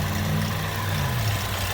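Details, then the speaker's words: 2011 Chevrolet Equinox after throttle body cleaning, no check engine light; steady, even low hum with no stumbles, ticks or hunting, running a lot smoother: normal idle. "So it's running a lot smoother. And like I said, there's no check engine light, so that's how you clean throttle body."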